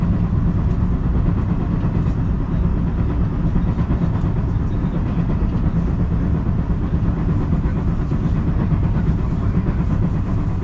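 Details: Onboard recording in a JR 223 series (set W17) KuMoHa car, Osaka to Kyoto service: heavy train rumble with a repeating thump in time with the wheels, an abnormal wheel flat sound.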